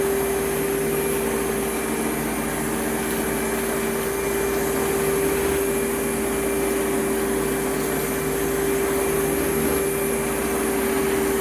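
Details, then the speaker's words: Advance Spectrum 12P vacuum, thrift-store find, in an airflow test: a steady airflow roar with a constant whine on top; the owner suspects the clutch assembly, earlier thought motor bearings; cause not confirmed. "you know i'm kind of wondering if that noise is the uh the clutch assembly because just out of curiosity i turned it off after the airflow box and it seems like the noise was coming from right around here somewhere"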